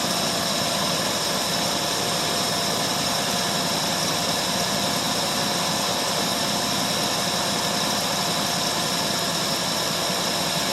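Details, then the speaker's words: 1968 Ford LTD 390 FE two-barrel V8, about three years unstarted, running on a little gas poured in carburetor bowl: steady even idle hum, no lope or misfire, runs quite a while. Normal idle; a pretty good runner. "Well, the thing is a pretty good runner though."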